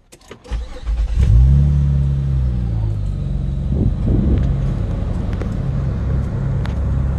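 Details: 2003 Acura MDX Touring started with a newly installed JDI push-button start kit: short crank, catches about one second in, flares up and settles to a smooth steady low idle; normal start.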